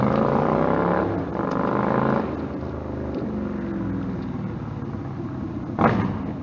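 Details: Stryker V-twin on a warm-engine road ride after new header gaskets fixed leaking headers (about 11,000 miles): pulls smoothly through rising and falling revs, clean even note, no popping, backfire or surging; power feels linear. Normal exhaust under load.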